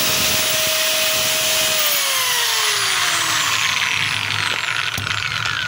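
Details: DeWalt DWE8200PL 4-inch angle grinder test-run after fitting carbon brushes: smooth high-pitched whine holds steady then drops evenly on coast-down, no grinding or rattle; small brush sparking is normal, runs normally.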